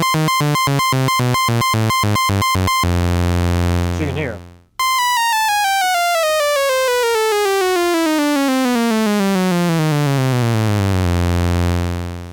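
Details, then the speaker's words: Restored 1974 Minimoog, glide off, top note held while stepping through each key: each key steps cleanly to a steady, clear pitch with no flutter or dropouts; contacts clean and properly adjusted. "Now, something I like to do is hold in this top note and go through each key so you can hear there's no wavering between the keys. That would indicate a dirty contact or contact that needs adjustment."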